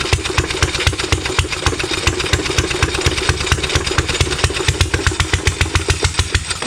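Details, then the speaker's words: Rebuilt 100-year-old Stover Duro 1/2 HP upright air-cooled hit-and-miss stationary engine, first run in over 50 years after the rebuild, firing on the second pull with sharp, evenly spaced pops and no knocks; normal running. "that's his first run over the 50 years I've still gotta set it in it's still got a lot more a lot more work to do"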